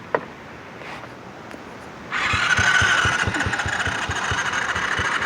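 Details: Quad (ATV) engine cranking after cleaning the spark plug: starter spins steadily with even compression pulses about three a second but never fires; won't start, intake valve not sealing, and owner moves on to suspect the carburetor.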